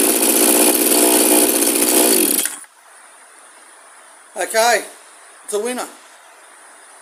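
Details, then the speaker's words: Straight-shaft two-stroke line trimmer / brush cutter in working condition, started and revved to check it: loud, high buzzing revs hard for two seconds then cuts out, with short blips after; trimmer runs and revs fine. "so I'm just going to start it up again we rev it up just see what it's doing make sure it is working"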